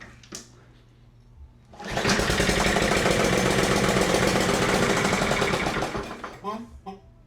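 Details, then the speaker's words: Neglected Toro Recycler mower, Briggs & Stratton 163cc, not yet bolted down: it starts and runs a few seconds at steady speed, then fades and dies. The cause is intermittent spark from a corroded spark plug boot terminal; the owner first suspected the carburetor. "Well, that's not promising. It only ran for a second or two. Let's see if we can get another start."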